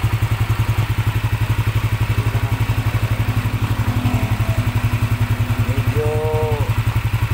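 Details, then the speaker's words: Yamaha NMAX 155 scooter, previously noisy engine, at first start after rollers, cover and water pump cleaning, remapped ECU: steady even single-cylinder putter at correct idle, no ticking, noise gone. "napakaganda iga agad ang unit ay naka remap tama lang yung idol natin"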